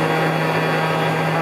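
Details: Cheap 300–800 W spindle motor with its stock plastic cooling fan fitted, running under 10,000 rpm: loud steady low hum with buzzy edge; the unbalanced plastic fan is causing spindle vibration.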